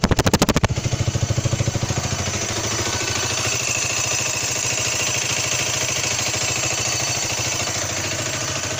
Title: Derbi drd 125 2015 high pitch squeak or whistle noise at idle when hot